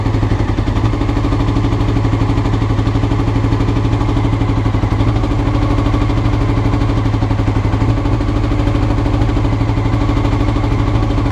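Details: Honda CBR motorcycle recorded before changing the float needles: it starts and settles into a fast, slightly uneven idle with a lumpy low thump, hunting; rough idle, cause suspected, not confirmed.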